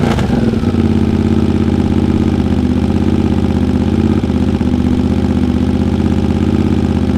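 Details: Honda GL650 at its first start after a full rewire: smooth, even V-twin idle with a steady low burble and no knocks or ticks. Stock headers with a crossover run into a merge and Cone Engineering muffler. Normal idle.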